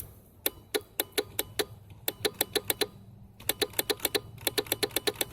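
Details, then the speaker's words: Scrap Razor electric scooter with no front wheel, power switch on and lit, before charging. Pressing the throttle gives faint, light clicks about five a second with no motor hum, and the scooter does not drive. "but yeah it actually lights up and when I hit the throttle there's a faint clicking sound"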